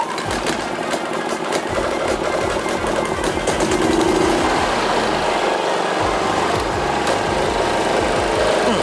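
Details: WAKITA HPG2300is 2.3kVA inverter generator (27kg), after light maintenance including an oil change: pull start with choke and fuel cock on, then it catches and settles into a steady, even hum with no misses; running healthy.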